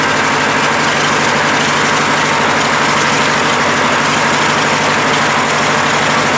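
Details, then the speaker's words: Craftsman LT1000 lawn tractor, Briggs opposed-twin 19.5 hp, after sitting all winter with bad gas and water, tank drained, new fuel filter, carburetor blown out: steady, even twin-cylinder drone with no misses or knocks; normal running. "and is that sound great or what so there we go we got it going"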